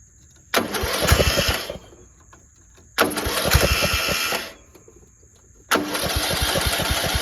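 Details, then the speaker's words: Cheap single-cylinder riding lawnmower after bolting a part back on with a replacement 5/16 bolt and no gasket: fires in short runs with a fairly even beat and no loud exhaust rasp, much quieter; still blowing some oil from somewhere. "That is a lot quieter. Still blowing some oil from somewhere."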